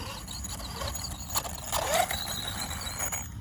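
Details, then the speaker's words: Hobao Hyper MT Plus II 1/7-scale 4WD shaft-driven brushless electric monster truck on 6S: rough scraping grind with a squealing edge as power comes in; suspected blown centre diff, driveshaft or debris caught in the drivetrain, cause unclear. "is that a diff if we blown a center diff or a drive shaft or have we got a leaf in there"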